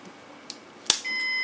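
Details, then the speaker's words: Synology DS916+ NAS after pulling failed drive 2 from its bay: click from the drive bay, then a steady, high-pitched beep of about half a second; the NAS alarm signalling a drive has been removed. "So now that we have the drive out of the system here, you can probably hear in the background that the Synology is beeping, letting us know that the drive is out."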